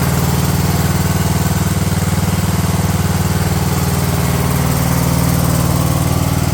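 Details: Craftsman LT1000 riding mower engine on a rebuilt replacement carb after repairs to starter, deck and sump gasket; smooth regular beat at constant speed, no sputter or surge: normal running.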